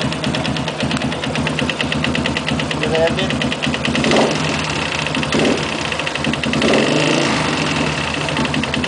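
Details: Sniper 169 engine at steady idle: repeating sharp knock on every firing beat; cause not yet identified.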